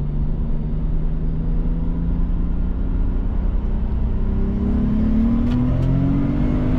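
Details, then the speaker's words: Nissan R32 Skyline RB25 turbo after new MLS manifold-to-head and manifold-to-turbo gaskets and replaced split vacuum lines: smooth rising tone under throttle, pulling cleanly with no squeaks, hiss or hesitation. "but it pulls so smoothly now, and there's no more weird squeaky sounds."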